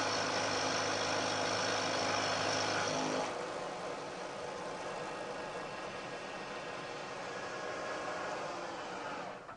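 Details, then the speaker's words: Milling cut on a part in the vise using a plate-stacking setup where sliding between plates damps vibration; equal-depth cut sounds much quieter, especially as the cutter exits the part end, giving a steady, even cut with no chatter and a better surface finish. "you'll hear that there's a very big difference in a noise produced especially as the cutter gets out towards the end of the part"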